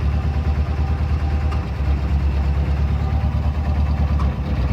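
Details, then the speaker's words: 1990 Jeep Wrangler YJ 2.5L four-cylinder with starting problems despite a full tune-up, new plugs and fluids: a rough idle with a dull knock about three times a second, heard when the foot is off the gas; source unknown. "now you hear that knock that sometimes happens when my foot is not on the gas and where I just wanting to start a lot it wouldn't start sometimes"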